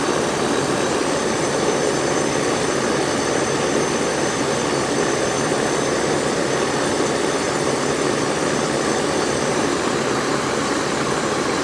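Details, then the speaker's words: Central AC outdoor unit after fixing a leaking Schrader valve core and adding about 5 lbs refrigerant: even airy fan rush over a steady compressor hum, no rattles or surging; running normally. "it's back up and running y'all back up and running all right that one's up and running"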